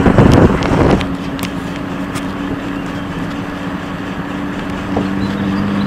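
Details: 1993 Ford Probe GT driving, steady low hum droning under road and wind noise, holding pitch; worn wheel bearing.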